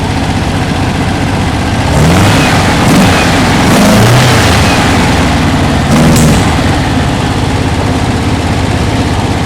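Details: 1968 Porsche 912, 1600, after valve adjustment: rough running with sharp backfire pops around two and six seconds, slightly smoother than before; carburetors blamed, new carbs to be ordered.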